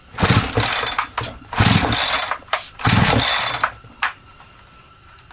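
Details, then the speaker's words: Holzfforma G372XP chainsaw that never ran right from new, decompression lever pushed in, choke on: several quick pull-start bursts, each with a firm rhythmic chuff; compression sounds strong and healthy; the adjustment boot was found off. "compression sounds good what do we got over here going on looks like our adjustment boot came off"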